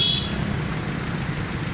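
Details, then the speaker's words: 2014 Suzuki Cultus EFI with water pressure fault, after head gasket replacement and head refit. Steady, even idle with a smooth low rumble and no ticking or knocking; the engine runs smooth and settled. "माशाल्लाह गाड़ी मुकम्मल है, smooth है, still है। गाड़ी की try कर ली है।"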